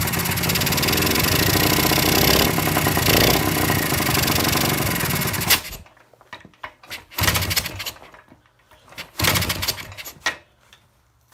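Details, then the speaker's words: Kawasaki F7 175cc two-stroke dirt bike; owner suspects compression loss through damaged threads, which he tightened, and notes flooding problems. Rough, uneven buzz for about five seconds, then it dies into pops and sputters: barely runs and stalls. "And I kicked it on, and it started running a little bit, so that's cool."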